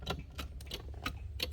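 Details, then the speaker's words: 1981 DeLorean, trying to start: just sharp clicks, about three a second, over a low hum, with no cranking, as power dips to the starter. Engine confirmed not hydrolocked; starter clicks but won't crank. "still nothing. You hear it click. Power dips as it's being diverted to the starter, but still have nothing."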